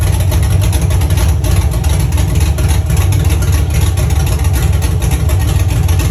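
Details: First start of a Chevy truck's cammed 5.3 V8 (Texas Speed 232/234 cam, 110 LSA) after a build and after fixing wiring ground issues: loud, choppy idle at about three pulses a second with a deep rumble, steady without stumbling; healthy.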